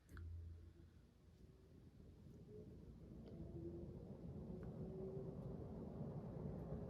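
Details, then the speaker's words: Emerson Heat Fan ceiling fan with bearings replaced last year, on a remote, spun up to high: soft low hum, faint rising motor tone, no bearing noise; it would not start on low and stops fast on spin-down. "No signs of any bearing noise."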